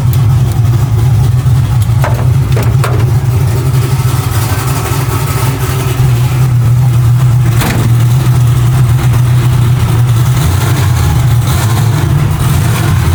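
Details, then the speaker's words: Nova V8 project car at a fast warm-up idle, running loud, lumpy and rough on pump gas with a tune that is not dialed in. It also has a long-cranking, low-voltage issue. "Yeah, she's still not running super great. Um, it is on pump gas right now. That's why it's it's not happy."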